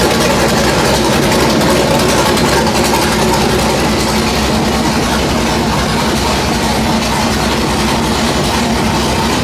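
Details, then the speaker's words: FFR Mark 4 Roadster engine on run stand, last start before removal and chassis install: loud raspy steady idle with even beat, no knocks or misses; normal running. "So I wanted to hear it. Everything still runs great. Sounds really nasty."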